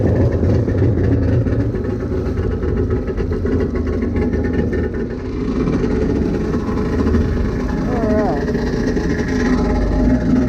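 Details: SuperFreak two-stroke watercraft after rebuild, in water, carb tweaked: rough uneven drone never settling into clean rhythm; running worse than before, faulty carburettors suspected.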